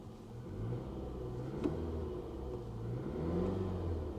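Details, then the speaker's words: Salvage-auction 2015 Dodge Durango idling, heard from the cabin; low smooth engine hum with slight rise and fall, no knocks, ticks or misses, sounds healthy. "sounds healthy."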